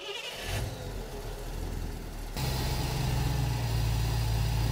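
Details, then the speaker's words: Engine with newly installed Holley Sniper EFI and Dual Sync distributor, ECU-controlled timing, static timing set to 15 degrees, first start attempt: brief crank, catches cleanly about 2.5 seconds in, settles into steady even fast idle; normal start. "We're going to try to start the engine. We're going to confirm where the timing is. Go ahead and try to start it."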